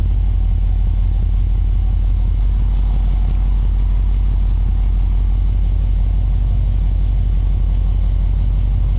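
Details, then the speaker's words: 1976 Chevy Nova sedan, 327 L28 block, Performer intake, Edelbrock 4bbl, TH350: steady V8 idle with faint rapid tick, about three per second, at header base; exhaust leak from hole in header still needing welding; tick louder under load. "as you can hear i have an exhaust tick at the base of this of these headers i have a hole i gotta weld shut still"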